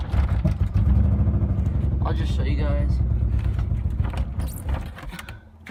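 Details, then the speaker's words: Nissan 300ZX with misfire: rough, shaky, stumbling idle holds only with throttle, then sags and stalls when clutch released; smells of fuel; owner unsure, previous owner suggested fuel dampener; misfire and stalling at idle. "idle a little bit and then if I get my foot off the clutch it just dies out see let's try it again but keep gas and on it it stays on but"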